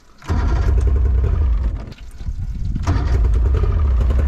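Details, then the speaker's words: Two-stroke carbureted boat outboard on flush hose after corroded ring terminals were replaced, primed and choked: cranks, catches after a brief stumble, then settles into a steady low burble; starts and runs normally. "Hey! Hey! She lives! She lives! Fuck yeah. All right. Now we're fucking talking. Now we're back in business, baby."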